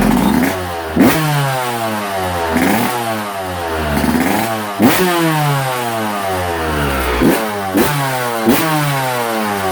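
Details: Two-stroke after top-end rebuild, in the shop: crisp crackle rising and falling cleanly with repeated throttle blips, no rattle or misfire; healthy fresh top end.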